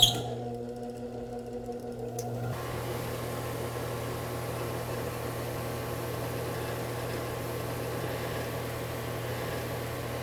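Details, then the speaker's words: Alternator on a bench test rig driven by an electric motor and belt, with a multimeter on the battery. A brief clatter settles into a steady low hum with a faint constant whine. The regulator is working and charging at 13.5–13.7 V, so operation is normal. "a gente pode ver aqui, o alternador está funcionando bem. Ele está carregando a bateria, tá? O regulador de tensão está funcionando e ele está carregando com 13,5, 13,7."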